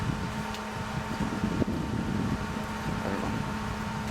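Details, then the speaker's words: Boosted 250 engine at idle on a budget turbo: low rumble with a faint, steady turbo whistle, with smoke and oil dripping from the turbo; owner suspects a fried turbo or bad seals, and the engine itself sounds good. "Sounds good though. Hear the turbo whistling just a little bit."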